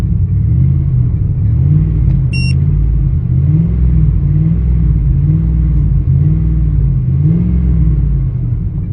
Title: 2000 Expedition: Rough Idle - Help!